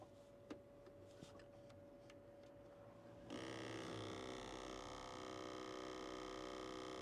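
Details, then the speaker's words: Truck HVAC actuator, newly fitted after the old one came out misaligned, key on with heat selected: quiet clicks, then a sudden steady buzzing hum at constant pitch; owner suspects it is still calibrating, or possibly faulty. "Yeah, I think that thing is. I think it's still trying to calibrate itself. It's gonna go through the range of motion a couple of times, and then once it finds that sweet spot, hey, maybe she's not."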